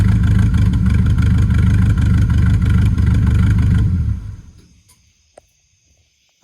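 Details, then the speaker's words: Camaro V8 before first drag strip run, lumpy loping idle for about four seconds before shutdown, seems firing on six or seven cylinders and down on power; misfire cause unknown, fresh spark plugs planned to try. "it sounds like it's firing on maybe six seven cylinders something like that it's it's kind of down on power"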